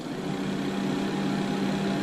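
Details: Alliance Avenue 32RLS fifth-wheel RV bathroom roof vent fan (Airxcel MaxxFan Mini listed), tested after reinstalling and rewiring it during a repair: a steady whir with an even hum and no rattle or scraping; running properly.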